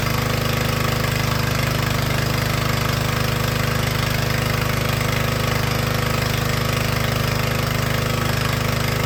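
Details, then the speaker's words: Troy-Bilt log splitter with small Honda engine driving the hydraulic pump, run about 5 minutes under load to check the hydraulic fittings for leaks: steady, even single-cylinder drone with a regular beat, no misses or knocks. Running healthy. "So we're gonna start it back up. We're gonna run it. I don't know, maybe 5 minutes or so. Kind of put some load on it again."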